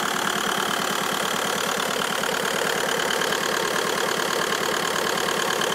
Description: Bruit bizarre ???